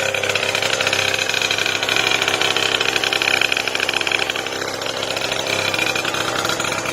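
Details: Two-stroke Booster scooter on its first start, carburetor primed by suction: buzzy, raspy, loud and uneven cold idle while warming up outdoors. The carburetor is faulty and needs a jet.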